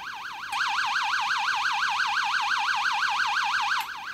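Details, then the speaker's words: Early-1970s 6A/12860 stall warning tone generator from an Avro Shackleton under bench test with angle of attack below stall: steady clean warble near 1 kHz cycling about three times a second, working normally. "Actuellement, la situation est normale. L'angle d'attaque est inférieur à la condition de décrochage."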